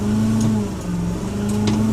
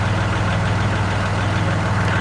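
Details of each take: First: Kubota Grand L3560 HSTC tractor at diesel idle after BH92 backhoe removal with hoses reconnected to close the hydraulic loop: steady low hydraulic whine over rough vibration, new and of unknown source; disconnecting and reconnecting hoses brought no change, and a sticking relief valve is suspected. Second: Kubota Grand L3560 HST tractor with BH92 backhoe reconnected, earlier loud hydraulic noise and vibration after backhoe removal: steady diesel idle with light clatter, no hum or whine, hydraulics quiet and normal.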